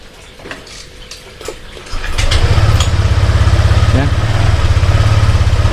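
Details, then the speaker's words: Honda Vario 125 LED fuel-injected scooter on stand, starting and settling into a pulsing, slightly uneven lumpy idle; stutters in the midrange and often stalls, traced to an oil-fouled spark plug. "jadi untuk permasalahannya motor ini bbet bbetnya bukan dari awal atau di akhir akan tetapi di putaran tengah ya Jadi berbetnya ini di putaran Tengah"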